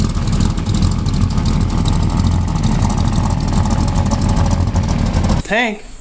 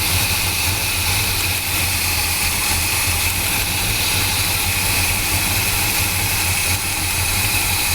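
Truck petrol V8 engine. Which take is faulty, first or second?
second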